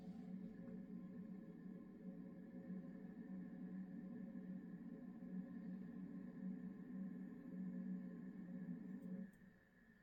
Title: simagic alpha weird noise with computer turned off